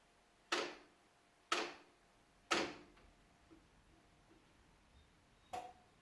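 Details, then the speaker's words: Sony hi-fi system in standby making sharp mechanical clicks about once a second from the tape deck; it switches off when set to tape, caused by a snapped cassette mechanism drive belt. "So if you turn it on, you can hear that clicking noise. It's somewhere over here and it'll switch off."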